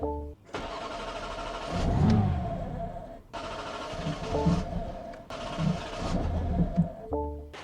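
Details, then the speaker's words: Rebuilt BMW G80 M3 with replacement engine: three cranking bursts of about two seconds, never catches. No fuel in the tank and the whole fuel pump assembly is missing. "Actually, guys, it's not out of gas. Well, it is out of gas, but it's also out of pump."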